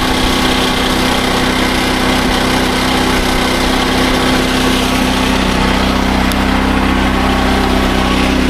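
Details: SDMO 5000W generator with a Briggs & Stratton engine (about 18 hp), after restoration, load test with about a 1500 W heater and a light: steady high-pitched drone at even speed without surging or hunting; normal under load.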